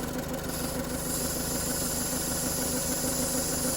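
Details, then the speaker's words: 2019 Ford Escape 1.5L EcoBoost with code P0496 and stumbling or hard starting after refuelling, at idle: constant airy vacuum hiss through the purge valve while it is commanded off, persisting when unplugged; purge valve stuck open. "is commanded to be off Okay so we've got vacuum I don't know if you can hear it we' got vacuum coming through this valve even though it's commanded off"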